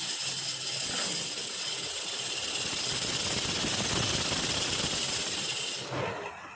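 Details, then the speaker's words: Toyota car engine bay noise heard from under the hood while driving: loud harsh hissing rattle with sharp high tones from a cracked alternator pulley, alternator about to stop charging. "รถใครที่มีเสียงดังแบบนี้เสียงดังจากห้องเครื่องเสียงดังที่ฝากระโปรงขับอยู่ดีๆแล้วมีเสียงดังนะคะ"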